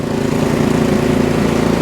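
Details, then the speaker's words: Ariens Deluxe 24 snowblower after replacing the auger and drive belts, running with the belt cover off during the drive belt test; a steady, even drone with a smooth, rhythmic churn and no slipping, squealing or knocking. Normal drive operation. "Looking good there. Those babies are flying. Augers are spinning good. Belts are spinning perfectly."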